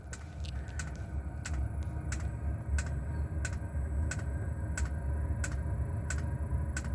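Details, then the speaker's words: 24-volt diesel heater on a solar power system starting up: sharp, even fuel pump ticks about 1.5 per second over a low rumble as it fires; normal startup. "You hear the little fuel pump clicking, and it just fired up down here."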